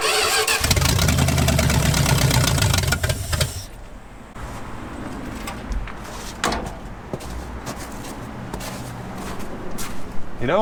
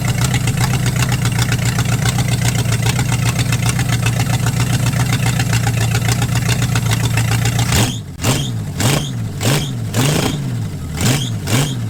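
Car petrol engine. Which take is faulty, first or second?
first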